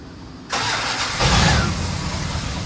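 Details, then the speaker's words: 1990 Dodge Ram truck starts at once after freeze plug replacement and settles into an even, steady idle with no knocks or misses, run to check whether it overheats. "So we're going to start it up and let it run and see if it gets hot."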